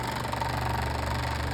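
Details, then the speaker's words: Electric fan on speed setting three with a damaged blade: steady hum with a low pulsing throb as the fan shakes and vibrates; damaged blade throwing it out of balance, blade to be replaced. "It shakes as you can see. I don't know if you can see but if you can see that sort of pulsing effect there that's the fan shaking."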